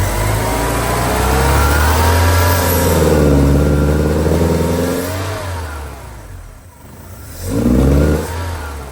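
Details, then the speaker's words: 1984 Porsche 944 daily driver idles perfectly but breaks up when given gas, won't rev past about 2,500–3,000 rpm even with gentle throttle; smoke test shows no leaks, fuel tank sealed, new fuel lines; cause unknown, engine misfire under throttle. "Give it gas. Starts breaking up. Ease the gas real gently. And just what it does."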